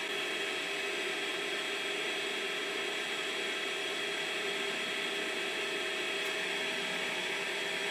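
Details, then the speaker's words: Creality Space Pi filament dry box running, with intake at the back and output from a duct. A constant airy fan whoosh and steady hum with no rattle; strong, hot airflow; the fans are working normally. "there is an impressive amount of heat in a very strong air flow coming from that duct right there I'm super happy with what I'm noticing"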